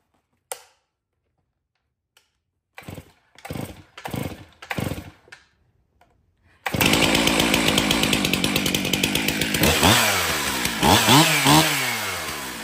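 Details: Stihl MS362 chainsaw, 7 years of hard use, in for hard starting and low power, test after service: pull-cord rattles, fires and holds strong steady high buzz dipping slightly cutting hardwood; starts good, runs excellent.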